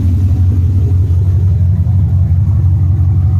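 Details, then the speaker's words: Modified OBS GMC truck with long-tube headers and twin tube mufflers at idle: deep, loud, slightly uneven loping pulse about twice a second from a modest aftermarket cam. Normal cam idle lope. "it's not a very big cam but it's it's cam nonetheless this is one mean truck"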